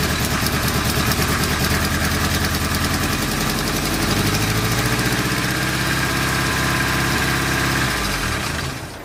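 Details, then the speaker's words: Nissan 240SX with newly installed engine and cold air intake, first start: runs loud and steady, then revs itself up to 2,000 rpm off throttle and stays high; owner suspects loose intake coupler or vacuum lines letting in extra air. "as you guys just saw it started and I let off the gas and it revved all the way up to 2,000 rpms by itself"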